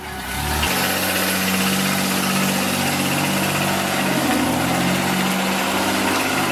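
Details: Mazda 6 after engine failure, new noises: engine catches and settles into a rough, uneven idle with irregular clatter over it; something inside isn't right, teardown and diagnosis planned.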